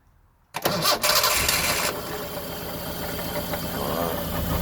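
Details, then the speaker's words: 1974 Honda Civic series 1 Mk1 before the spark plugs are changed: the starter whirs, then the engine catches and idles with an uneven, stumbling beat, misfiring on a cylinder. "because as you heard, it's been missing. I'll just quickly show it to you right now. It's been misfiring."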